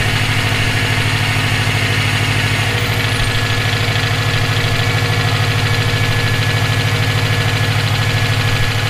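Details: EJ257 at idle: a regular knock, about two or three per second, rides over the engine, present for about 17k miles since purchase; owner asks whether it is rod knock, a spun bearing or valve lash. Cause unconfirmed.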